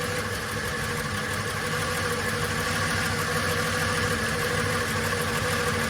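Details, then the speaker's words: VJ Dodge ute, first start after long sitting, no transmission fitted, carburetor leaking fuel: steady idle with an uneven, tinny rattle over the top at about 2.5 per second; owner suspects the clutch or thrust bearing on the pressure plate at the rear. "So, she's a go. Had a nasty rattle in it when it first fired up now."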